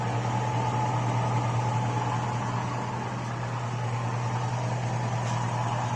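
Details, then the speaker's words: 2002 Chevrolet Avalanche 5.3 LS V8 with stock GM lifters replacing Comp Cams Evolution lifters, 5W-30 synthetic, hot idle: light even ticking of two or three per second, louder as oil thins when hot; lifter tick. "the hotter it gets the hotter the oil gets the thinner the oil gets the more you hear them so anyways uh right now I've got five weight 30 synthetic oil in there and so this is just another update of what they sound like"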